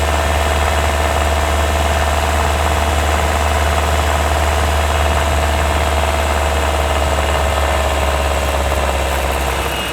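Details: 2024 Hyundai Tucson NX4 Hybrid, microphone mounted directly on top of the engine: a fast, fine metallic rattle over a steady engine drone. It occurs only when the combustion engine runs under load uphill, before inspection. It is also heard through the open right window beside a hedge or wall. It is hard to locate, and some claim it is normal.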